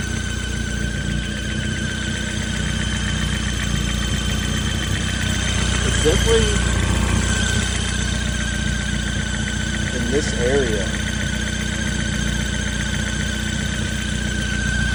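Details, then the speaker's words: Ford Focus ST with custom sidewinder turbo kit and T51R at idle: constant high whistling squeal over the idle, described as pressure trying to escape the system; pulley also suspected, source unconfirmed. "I'll insert that video now. Might be the pulley."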